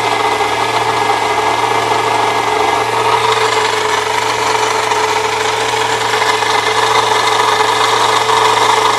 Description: 1998 Saturn SL2 had a scraping/grinding noise from the belt area.